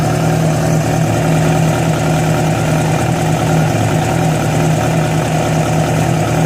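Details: Yamaha FZ6 four-cylinder idling with an uneven hum and a faint intermittent tone; strange noise began after riding ~70 km on two cylinders due to a failed ignition coil connector; cause not yet clear.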